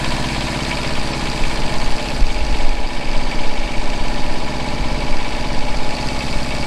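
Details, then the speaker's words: Flatbed truck generator after replacing the generator head and fitting a smaller pulley: head at about 3,600 rpm, engine at about 1,950 rpm; steady even low drone, quieter, belt squeal gone; normal running. "okay we got the generator generator heads running at 3,600 rpm and the the engines running at about 1950 so you see it's a little bit quieter and a squeal is gone"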